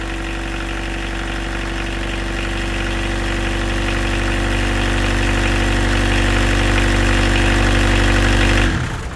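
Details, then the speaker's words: Peugeot 306 sedan XUD turbodiesel, first run after refitting the engine with a rebuilt injection pump (11mm head, 6-vane lift pump): even diesel clatter held at a raised steady speed without throttle, then cut off; idling too high. "Okay, so she runs to some fashion. She's idling quite high."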